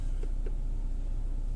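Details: Skoda Rapid that had idle shudder, stalling and misfire codes P0301–P0304, after replacing spark plugs and ignition coils: a steady, even low rumble at stable idle rpm with no stumble.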